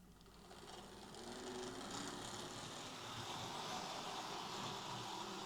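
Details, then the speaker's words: Bachmann Class 24 model locomotive running with a fast, fairly even clicking rattle, about three or four per second, over the motor whirr. A drive shaft issue is suspected. "He said it runs but makes a sort of clicking, rattling sound."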